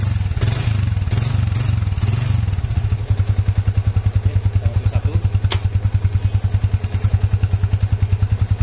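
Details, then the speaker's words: Yamaha Vixion motorcycle held on the rear brake in gear with throttle applied: a steady low thumping about three times a second from the rear hub/drum, silent without throttle. "tapi ketika kita rem nanti dan kita gas masukkan gigi Nah itu dia akan ada bunyi seperti ini"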